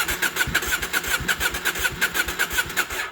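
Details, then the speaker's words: KTM 790 Adventure after the MAP sensor was replaced and the boosterplug removed, cranked with the throttle rolled on; quick, even starter pulses but it never catches. Cranks, no start, so the MAP sensor swap doesn't seem to have fixed it. "nope that did not work i got the throttle so no that didn't make a difference"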